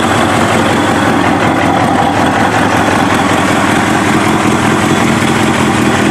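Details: Kawasaki ZX7R race bike, FCR41 flatslide carbs synced, fuel screws leaned from 2 to 1 turn out, warmed up: four-cylinder idles steadily with slight rise and fall about 1250–1500 RPM; normal, acceptable idle.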